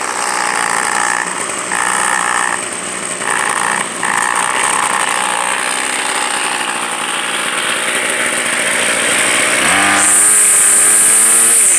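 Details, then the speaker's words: Two-year-old gas two-stroke weed eater, left sitting all winter on old fuel, started after priming and about five pulls: steady idle buzz climbing to a high, even scream at open throttle, no stumbling. Runs cleanly. "there we go well they both started so I'll start the yard work in a couple of minutes"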